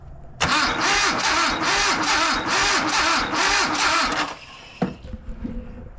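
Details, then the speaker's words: Abandoned Datsun 720 King Cab 4x4 pickup after sitting about 20 years, ICM just replaced, ground run to battery: even cranking about two and a half turns a second, never fires; still no spark, coil suspected not being interrupted. "Still not getting a spark. What that feels like to me is the coil's not getting interrupted."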